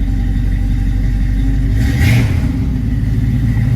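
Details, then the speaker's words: Flood-damaged 1979 Chevrolet Camaro Z28 V8 after fuel pump replacement and carburetor line refit, exhaust dried out, before oil change: deep steady idle with one quick blip returning cleanly, no misfire or ticking; normal idle. "Now we can get a little bit better idea of how well she runs. Looks like the exhaust has dried out."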